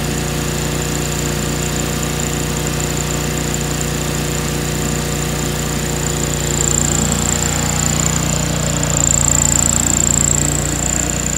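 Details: 2003 John Deere X485 garden tractor, 25 hp liquid-cooled Kawasaki EFI engine, 660 hours, fuel pump just replaced. Starts right up; steady, even hum at constant speed with a faint high whine, no misses or knocks.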